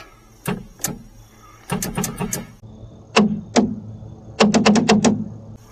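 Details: Pontiac Fiero GT electric trunk latch after soldering and heat-shrinking broken release wires through the trunk lid: crisp clunks in short bursts, each release firing cleanly with nothing dragging; trunk latch actuator working normally.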